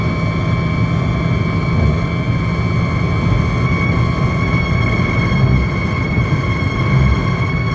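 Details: Car at about 120 km/h: steady high whistle over road and wind rumble, disappearing at 100 km/h and returning at 120; loose window trim whistling in the airflow.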